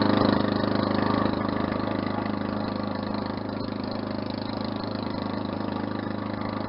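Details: Push mower after an engine swap, first start, no muffler or exhaust fitted: loud, steady single-cylinder bark at about four pulses a second, even and unbroken; running normally.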